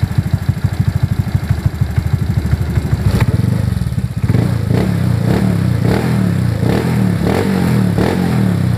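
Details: Honda Beat FI injection scooter engine after valve clearance was set to standard to cure a noisy top end. Even single-cylinder putter at idle, throttle blipped briefly midway and settles back, no top-end tapping; healthy running.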